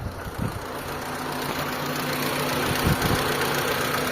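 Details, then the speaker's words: Mitsubishi Lancer 4G13 carburettor engine, previously noisy and hard starting, after new timing belt set, adjustment and fuel filter: petrol engine idles with a steady, even hum, no knocking or tapping; now quiet, normal idle. "Anan mga boss medyo okay na siya. So tahimik na yung makina natin."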